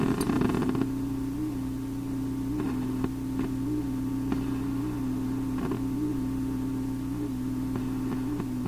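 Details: Philips Sonate BA581A vacuum tube radio: steady low hum with irregular sharp pops and crackles every second or so while untouched; sounds like a failing component (suspected, not confirmed).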